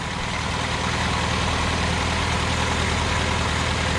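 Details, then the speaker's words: 1979 Honda Accord 1.8 CVCC with Weber carburetor conversion. Steady, even idle with a low regular pulse, no skips; the earlier miss is gone and smoking is reduced but still present. "i mean it's gonna be a fun car to try listen to her just purring now"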